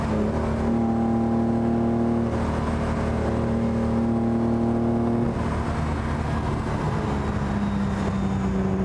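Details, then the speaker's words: Sixth production Lamborghini, original 4-litre V12, on road test at full throttle: strong steady note stumbles and sags after about five seconds; suspected electrical fault on one ignition system. "This is real world classic car testing. There's no substitute for driving these cars. Uh, I suspect it has an electrical fault on one of the ignition systems."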